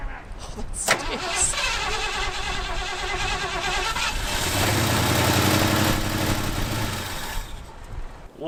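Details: Abandoned 1977 Ford plow truck, carburettor bowls primed: cranks, catches and is revved hard, note surging and sagging unevenly instead of holding steady; fuel starvation suspected, not confirmed.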